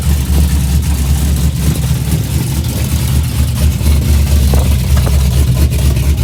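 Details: 2004 Chevy Silverado 5.3L LS after a cam swap (Engine Pro cam, 218/227 duration, .526/.524 lift, 109/115 LSA), first cold start with no accessories hooked up: a deep, choppy, loping V8 idle that runs steadily with no knocks or ticks.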